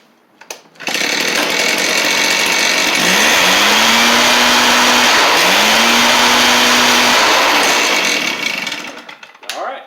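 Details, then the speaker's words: Stihl BR420C two-stroke blower running after a Hipa carb kit install; previously non-running, likely flooding or fuel starvation: loud steady roar with a clean pitch rise; repair a success. "so Hypercarb kit for the BR420C is a success."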